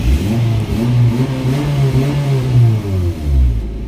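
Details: Kia Picanto revved after fixing a loose drive belt; engine revs up and down smoothly with no squeal or chirp following the revs; normal engine rev.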